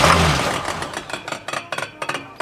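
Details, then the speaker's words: 1977 Oldsmobile 442 barn find, sitting 30 years, first test fire on starting fluid with new spark plugs; a bent push rod is suspected. It catches briefly, then fires in uneven, stumbling bursts with gaps and lots of smoke; misfiring, not getting fuel. "sounds like she's misfiring oh she's misfiring a little bit but the fact that she's firing look at all that smoke coming out"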